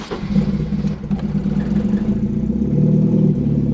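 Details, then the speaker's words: Turbo Volvo with uprated valve springs and reworked cam timing, after an exhaust that "exploded" was repaired: a low steady rumble with light throttle blips, no blowing or rasping leak, now only a bit noisy versus really noisy before the fix. "you didn't hear it but it was really really really really noisy now it's just a bit noisy"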